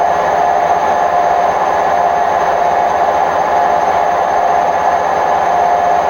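Loud, constant roar with a droning mid-pitched hum throughout the full-speed spin, consistent with worn drum bearings.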